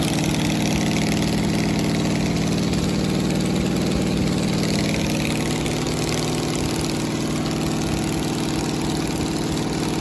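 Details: 1969 Camaro 396 big block Chevy V8 at idle; a badly worn cam lobe was found, with a new cam and new lifters going in; number seven cylinder had been weak intermittently. Steady, even idle, deep rumble, no ticking; sounds healthy.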